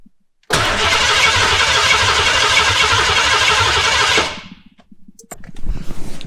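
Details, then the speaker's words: Foxbody 5.0 V8 swap, cranking for about four seconds after the inertia switch reset revived the fuel pump. Even starter cranking at about three beats a second, never catching. Fuel is present but there is no fire, so spark is checked next; the injectors are not firing. "all right so we have fuel we don't have a fire now question is do we have spark"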